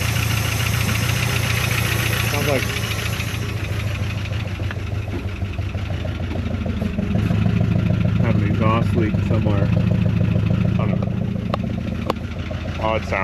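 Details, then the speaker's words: 1975 Chrysler Cordoba, long-stored, first run on fuel from a bottle, alternator off: steady idle with a light fast tick about three per second; owner suspects an exhaust leak and maybe a slight miss, motor a little sticky. "Have an exhaust leak somewhere. Motor's really not taking too bad. Might be missing a little."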